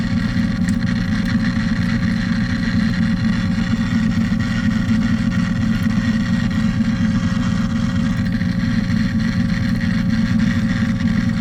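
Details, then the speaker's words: 1947 Silvertone wire recorder/phono/radio combo, under repair, playing an old recorded spool: steady low hum and constant hiss with no clear programme; playback barely coming through, cause unconfirmed. "thought I heard something on there H let's rewind it we'll try another spool"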